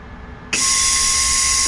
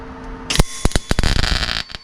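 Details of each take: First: MIG welder on a Rover P6 inner wing repair, with a new gas bottle and regulator: a steady, even hiss starts abruptly at the nozzle, showing shielding gas flowing normally. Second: MIG welding inner wing repair on a Rover P6 after voltage turned down and wire speed reduced: crackly uneven spatter in bursts then steady rough hiss; very blobby weld, welder wonders if gun held too long.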